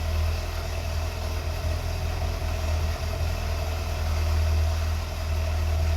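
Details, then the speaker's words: 1982 BMW 320i at idle after reinstalling tanks and fuel pumps, cleaning injectors and taping vacuum lines: steady, even low rumble with no knocks or misses, idle holding smooth; nicest it has ever sounded. "that's that's a quickest and nicest it's ever sounded I'm a little bit shocked at the moment I don't know what that sounds really pretty good"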